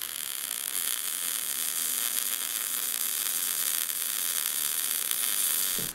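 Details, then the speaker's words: Gas-shielded short-circuit MIG welding with wire speed matched to voltage: steady even frying crackle with no pops or gaps; arc correctly set. "we weren't going for a nice weld, we were just trying to listen to it, and it sounded pretty good."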